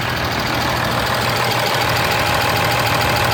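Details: 2013 Ram 2500 6.7 Cummins diesel, 39,000 miles, G-56 six-speed manual, idling: light, fairly even tick about three per second over clatter; exhaust valve lash out of spec (~.032"), fixed by resetting to .010" intake/.026" exhaust.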